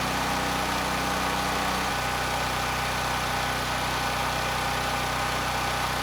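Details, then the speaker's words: NorthStar 8000 PPG generator with a Honda GX390 engine, after carburetor cleaning, running with no load: flat, steady hum at constant pitch. Earlier surge is gone and the governor arm is steady; normal idle. "back I think we're okay it's been a few minutes The Surge is gone you know I can't hear it"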